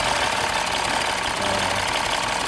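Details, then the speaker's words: 2015 Mini Cooper S rebuild after reconnecting the unplugged induction hose: fast, even idle with busy steady top-end clatter, no stumbles or misses; running better, no leaks. "Basically, that hose was not connected, so it's running a bit better now."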